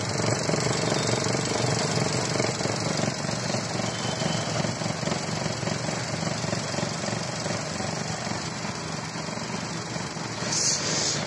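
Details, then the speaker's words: Maruti Ertiga petrol engine idling roughly with an uneven shaking pulse about three times a second; it burns 1–1.5 litres of oil every few thousand km, leaks oil near the tappet cover, gives white smoke on throttle, with check-engine light. "और अब देखो इसमें vibration भी, आवाज सुन रहे होंगे"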